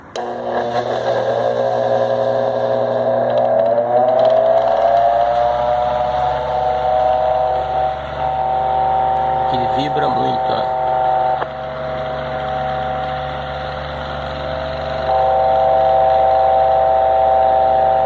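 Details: Loud steady droning hum from a wall-mounted fan whose vibration is amplified by the hollow wall blocks it is fixed to, showing how poor installation makes it noisy.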